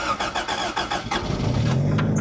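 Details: Toyota MR2 (AW11) 4AGE that hasn't run in months: about a second and a half of starter chatter, then it catches and settles into a steady low idle; starts fine.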